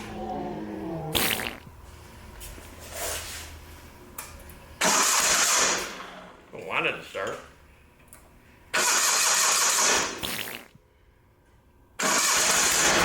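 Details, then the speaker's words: Old Simplicity garden tractor with Onan CCKA engine, with spark confirmed: it catches in short bursts, runs a second or two and dies each time, pointing to fuel starvation. "okay it's running and dying so it's got a uh the fuel pumps right here"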